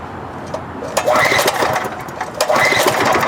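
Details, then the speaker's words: Auction wood chipper engine with gasoline poured down the spark plug hole as it was not getting fuel; rough sputtering with sharp pops while cranked, catching briefly; backfiring on starting, with clunking from the flywheel ring. "Yep. I hear something. It's backfiring."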